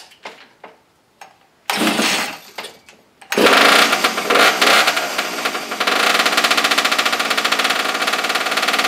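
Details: Abandoned small single-cylinder engine, choke on, spark plug regapped for weak spark: a few scrapes, then catches into a rapid, fairly even putter; now firing and running.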